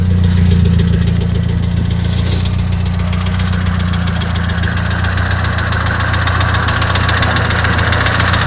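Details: Nissan SR20DET engine at loud heavy idle with an uneven tapping knock roughly three to four times a second over a deep drone; knock of unknown origin.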